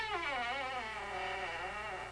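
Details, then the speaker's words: Walk-in closet door swings with a long, wavering high-pitched squeak from a dry metal hinge, before WD-40 is applied. "this is the walk-in closet in our apartment and it's got a squeak"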